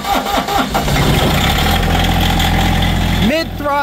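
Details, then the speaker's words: Diesel tractor cold start at about 5°F (owner says "50, probably 5 degrees") after sitting over a week with no battery tender; glow plugs, neutral, mid throttle. Starter turns the cold engine briefly with higher current draw, catches cleanly, settles into steady, even idle; healthy. "it's clearly showing that the cold engine had a much higher current draw on the starter to get that thing turned over"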